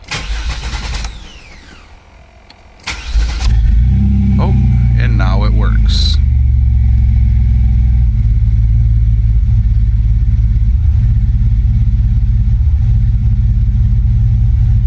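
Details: 1998 GMC Jimmy that won't start once warmed up, no spark: several short cranking bursts with pauses, then it catches and settles into steady idle; spark comes back and it works until shut off again.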